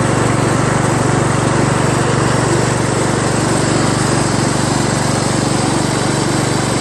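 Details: Craftsman LT1000 lawn tractor after new drive belt install (owner unsure it's the right belt), first test drive around the block: even small-engine drone about four beats per second, a little noisy, no knocks or misses; running normally.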